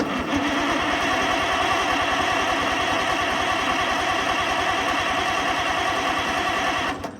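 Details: Oliver 88 row crop tractor that sat 20 years, ground cleaned and carburetor cleaned without a kit, fuel in the carburetor: an even starter churn for about seven seconds with no firing at all; cranks but won't start, and no spark is suspected.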